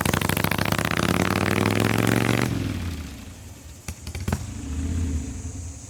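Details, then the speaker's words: 1985 Harley-Davidson Ironhead Sportster on a road ride, with a rear cylinder jug leak and a shifter needing a hard push; strong revving falls smoothly to a calm low rumble, a couple of sharp mechanical clicks, runs pretty good though not perfect. "yeah it runs pretty good it's not perfect uh goes up and down the road it stops it shifts"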